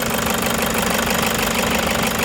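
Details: Toyota Hiace diesel with engine vibration and knocking, injectors possibly involved. At idle, a fast, hard rattling knock sits over a steady beat; the cause is suspected, not confirmed.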